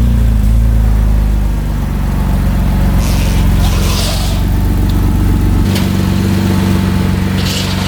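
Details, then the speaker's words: 2008 Porsche Cayman S (987), cold start after sitting for months: loud, raspy idle with uneven chuffing pulses over a deep drone; exhaust leak where the refitted stock exhaust did not line back up after welding, following an earlier straight-pipe setup. "so it kind of has an exhaust leak i don't know if you guys can hear that or not but it doesn't sound very good"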